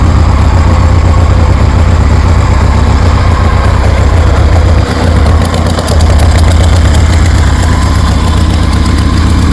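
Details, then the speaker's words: 1973 Harley Sportster with CV40 carbs fitted and tested, low on gas: loud, steady, even V-twin throb about four pulses a second, running healthy. "Damn, that sounds good."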